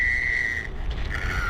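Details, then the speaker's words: HPI Savage X Flux RC truck on 4S after the pinion was refitted. A thin, high stringy whine holds, breaks off, then returns lower. The owner suspected clutch slip or a damaged pinion; the cause was the three motor mount screws working loose, so the pinion mis-meshed. "Or maybe it's just that the pinion now is a little bit damaged. Maybe it just sounds a bit weird. Ugh, it doesn't sound great. It's got a very stringy whine."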